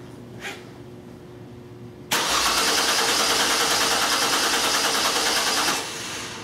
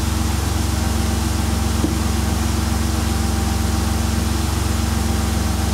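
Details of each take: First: 2002 Mercury Cougar 2.5 L, electronic returnless fuel system, new pump with reversed wiring, very weak battery on a charger, cranking at about 7.8 V: starter cranks steadily about four seconds and never catches; no fuel pressure; crank no-start. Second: 2002 Mercury Cougar 2.5L, returnless fuel system, no-fuel-pressure fault from reversed wiring on a new fuel pump: smooth, even idle, steady low hum, no stumbles, ticks or surging; engine healthy.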